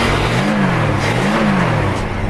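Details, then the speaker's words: 1969 Ford XW Falcon six-cylinder running for the first time in about a year, with an old battery and the alternator charging at 16 V; it revs up and drops back cleanly with no knocks or misses and sounds healthy. "she's actually running and she sounds pretty healthy"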